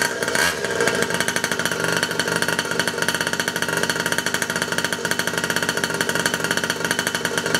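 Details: 47cc two-stroke mini pocket bike on first start after reassembly; high-pitched buzz holding steady revs with a crisp even beat and no misses, healthy.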